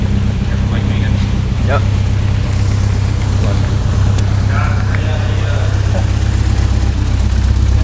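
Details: 1967 Morgan Plus 4, first start after years not running, oil shot into cylinders beforehand: steady low rumble with even firing around 800 rpm, rocking slightly, no knocks or misses; normal idle.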